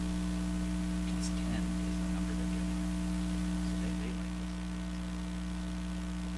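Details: Traynor 8/201 analog mixer under test, microphone on channel 1, sub 1 and master output up: steady low hum with a buzzy edge; sounds like a regular sound system plus a hum, owner suspects the mixer, source not confirmed.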